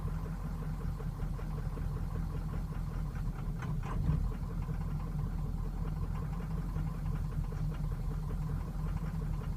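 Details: 2003 Ford Excursion 6.0L Powerstroke diesel, warmed up: idle clatter with uneven, lumpy beat and occasional stumbles. Roughness began suddenly over two days, worsens with heat, can stall coasting or standing; starts fine cold; cause unknown.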